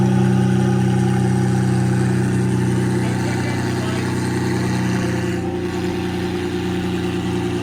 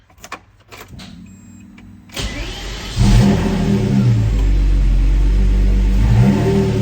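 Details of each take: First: Lamborghini Murcielago V12 running after fuel tank reinstalled and reconnected: smooth, steady low rumble with even beat on both banks, easing down slightly, no misfire or stumble, burning off old deposits. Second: Lamborghini Murcielago V12 in home garage, being troubleshot: starter whirs, engine catches and holds low, lumpy idle lacking usual smoothness, running on only one cylinder bank; cause not yet confirmed.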